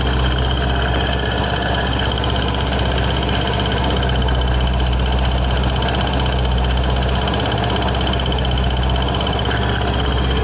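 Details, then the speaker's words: 2006 Ford Mustang GT 4.6 with ProCharger, at idle; constant supercharger whine with faint irregular bearing-like tick, sounding behind the ProCharger bracket; loose belt, pulley or crank pulley suspected: ticking noise at idle. "I don't know if you can hear that kind of like like a weird like bearing tick but it's not really a tick um the higher pitch noise is just the supercharger it makes that all the time"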